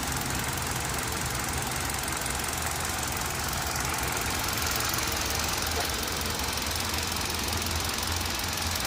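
Steady idle with a fast, loosely regular tick of about two per second over a hissy background; cause not clear from listening.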